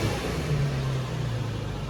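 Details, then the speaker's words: Infiniti G35/G37 or Nissan 350Z/370Z with the engine running: steady low drone, the earlier rattle is gone, sounding healthy and even. "hear it i don't hear it yeah the rattling gone fix it"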